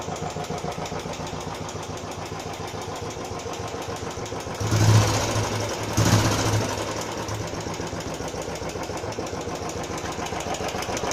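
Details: Royal Enfield Classic 350 at idle after first service: regular light tick three or four per second in time with the idling thump, appeared after ~20 km and returned after 150 km more; owner suspects tappet noise, unconfirmed.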